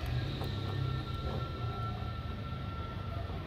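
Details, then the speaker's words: Car making an airplane-like noise at morning start-up: engine running with a steady high whine over a low rumble; the water pump bearing has play. "Então, bomba d'água, o rolamento com folga."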